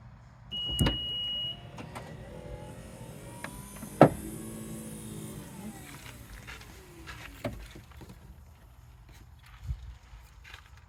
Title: Knocking noise from power tailgate on 2016 Acura RDX Elite